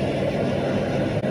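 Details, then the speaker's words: Smart air fryer, previously totally dead from an electrocuted gecko inside, after thermal fuse replacement on 220 V: steady even fan whir with no rattle or scraping while heating; normal fan operation. "Pokoknya udah kedengaran kipasnya bunyi gitu."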